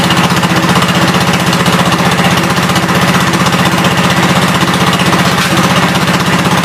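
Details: 1972 Gravely 430 single-cylinder engine running normally after fuel system restored up to the carburetor (small drip at fuel pump inlet): steady thumping about three beats a second, no knocks or rattles; high-low axle works, moves forwards and backwards.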